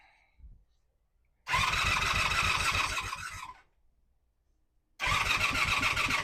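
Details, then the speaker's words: 1985 Honda Magna V30 V4 on first start after a carb rebuild, JB Welded tank, ignition bypass and radiator install, with the fan unplugged. Two short runs, each stumbling and uneven under a loud, rapid, chattery clatter. Runs rough and worse than before the work; cause unknown. "It may or may not be obvious in the video, but this thing sounds like absolute dog It sounds way worse than it did the first time I started it before I worked on it."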